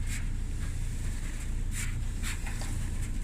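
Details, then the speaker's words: Kenmore dryer drum spun by hand after the drum was cleaned and reinstalled; steady low rumble with a few brief high scuffs and no continuous squeal, so the drum rotates smoothly and sounds normal. "yeah she's smooth she's smooth a little bit of a cleaning and we'll test all the components guys"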